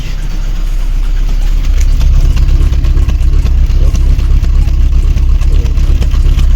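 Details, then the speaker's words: VAZ 21099 engine at idle, head previously repaired with valve seats replaced 20,000–25,000 ago: deep lumpy idle with uneven beat around two per second and shaky rhythm; fourth cylinder lost compression and misfires, not overheating; head to be removed. "чуємо двигун наш троїть Ось так Він працює чує Да вона не кипить все чудово просто"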